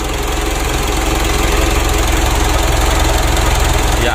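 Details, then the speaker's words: 2012 Mitsubishi Pajero Sport Dakar diesel after engine rebuild and recheck for rough running, oil burning and blow-by, warming up: steady even idle clatter, no harsh knocking; rough engine noise and oil leak now gone. "Dan suara kasar pada mesin juga sudah hilang."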